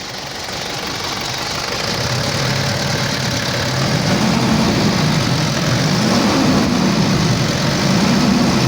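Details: Mitsubishi L200 Triton diesel idles evenly with soft, steady clatter and no sharp knock standing out; earlier it had strong knocking and very high idle fuel pressure, blamed on an injection module problem.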